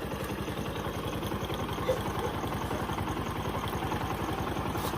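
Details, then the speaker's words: Bajaj Discover motorcycle idling evenly and steadily after repair; a cut battery positive/charging-system wire had caused no pickup at full throttle, and reconnecting it restored normal running with no misses or knocks. "একদম ঠিক আছে, কোনো অসুবিধা নেই, শুধু তারটা কেটে গিয়েছিলো এখানে, ব্যাটারি পজিটিভ তারটা,"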